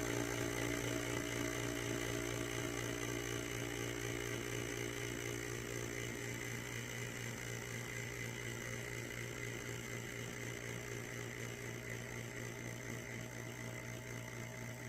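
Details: Vacuum canner pump drawing down mason jars of freeze-dried food, first-time test, aiming for 20; quiet, even motor hum with steady buzz that fades slightly as vacuum builds; pump sounds healthy.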